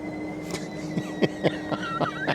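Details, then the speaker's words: Hovsco HovGTRS 750W 48V fat-tire eBike with 180 mm dual-piston hydraulic disc brakes: a thin steady high whine under uneven ticks and scrapes at low pedal speed, which the rider thinks is the brake, not the motor. "I don't know what [Music] that it sounds like the brake. It's not the motor. What? Like there we hear it. It's like so distracting."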